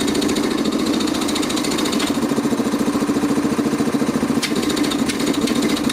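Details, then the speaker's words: Quincy model 325 air compressor after rebuild (cylinder head cleaned, valves rebuilt, jam nuts tightened), running: quick, even pumping thump at about two strokes a second with clean valve clatter and no knocks. Running properly. "and tighten down our jam nuts at this point it ought to sound like an air compressor well sounds"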